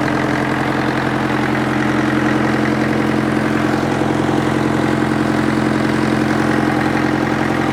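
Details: International Harvester 554 diesel tractor after about five years sitting, air filter cover off: steady idle, even clatter a couple of times a second, constant note, no knock or misses; runs clean, owner suspects glazed bores; loose water pump belt.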